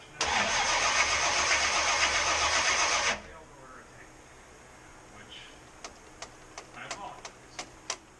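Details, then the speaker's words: Supercharged small-block Chevy first start attempt: about three seconds of steady starter cranking at roughly four beats a second, plenty of fuel but never catches; no spark, zero ignition. "Tons of fuel. No sparks. Good. Why do we have no sparks?"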